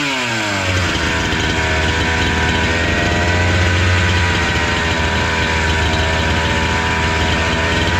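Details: Husqvarna 268 two-stroke chainsaw that stalled once warm, after the carburetor screws were set to about two to two-and-a-half turns open. It drops from a brief high rev to a steady, even idle that holds without hunting or dying; clean idle.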